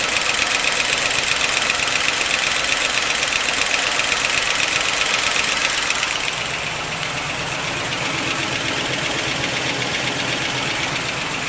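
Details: 1955 Pontiac Chieftain on fresh 10W-40 with Marvel Mystery Oil, always loud and clackety: a steady light clacking of nearly three ticks a second over a smooth idle. With the valve cover off it is gross inside, but a pulled pushrod was not clogged; valvetrain clatter, cause unknown.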